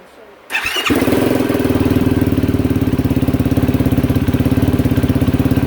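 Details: Yamaha YFZ450R quad (2022 per owner) after fuel pump replacement (original pump failed; fuel pressure about 47 PSI spec): short starter whir, then the single catches and settles into a quick, steady, even thumping idle; fuel delivery fine, running normally.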